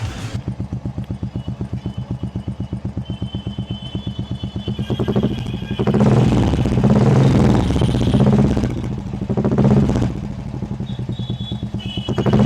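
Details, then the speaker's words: Royal Enfield Classic 350 single-cylinder after replacing the hydraulic tappet to cure top-end tik-tik noise, ridden two-three days since: even steady idle thump with throttle blips, no ticking; normal idle, sounds like a new bike. "अब यहां पर आप लोग देख सकते हैं hydraulic change करने के बाद आप लोग को अब इंजन में थोड़ा सा भी आवाज नहीं आ रहा है अब एकदम न्यू बाइक की तरह इस इंजन का आवाज आप लोग को सुनने को मिला"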